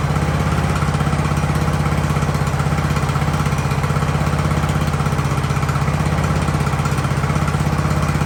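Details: Ariens hydro-drive riding mower, sat at least two years, in about 30-degree cold: small single-cylinder holds a steady, even idle at a constant low thump, no surging or dying; idling normally.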